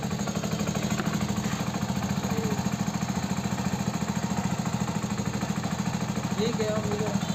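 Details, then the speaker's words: Hero Passion Plus BS6 single-cylinder bike at 13,454 km: an engine noise blamed on the timing chain was actually the rocker. After the rocker was adjusted, it gives a steady, quiet idle with no top-end tapping. "Guys इस bike में जो engine sound की problem थी वो हो चुकी है solve"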